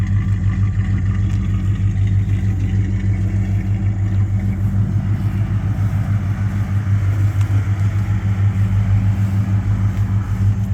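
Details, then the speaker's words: 1987 Jeep Grand Wagoneer, rebuilt rare AMC 401 V8 with Fi Tech fuel injection, new exhaust manifolds, 62,000 miles, heard at the tailpipe: deep, even idle burble with regular pulses, no misses or ticks; extremely good running, healthy engine. "This is an extremely good running car. Very nice."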